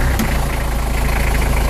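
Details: Nanni diesel: deep rumble with hard, even clatter about fourteen times a second under throttle; oil change did not help, cured by refurbishing all injectors and adjusting slightly-out valve clearances.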